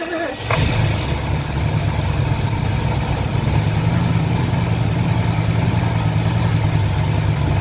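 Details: 1977 Lincoln Mark V 460 V8 on its first start after long abandonment, fuel poured into the carburetor bowls and starter triggered from under the hood: fires after a brief crank into a deep, steady, even idle with no knocks; sounds healthy.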